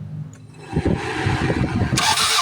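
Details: Toyota Corolla (about 1996, manual transmission) cranks but won't start: starter turns the engine at an even, quick beat but it never catches; no spark or fuel injection found, traced to a failed engine computer box.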